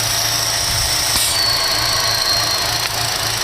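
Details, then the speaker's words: 2012 Chevy Cruze 1.4 L engine idling as it warms up: a thin, steady high whistle or hiss over a low rumble; failed PCV valve diaphragm in the valve cover sucking air, a vacuum leak causing hesitation and skip. "did you hear that that's from the sucking of that it's creating a vacuum inside of here"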